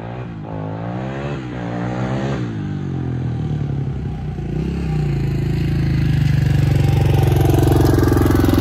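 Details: 1987 Honda XR250 single-cylinder four-stroke on the bench, good compression. Clean thump rises smoothly through several revs and holds higher speed, no rattle or misfire; engine healthy, runs 'like a Swiss watch'.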